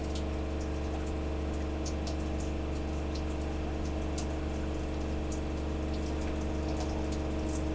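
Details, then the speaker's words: Gasland CG360LP tankless propane water heater after a fix for the A4 alarm: igniter clicks and burner lights, then steady hum of water flowing, even and uninterrupted; normal operation. "I hear it clicking. It lit. It lit."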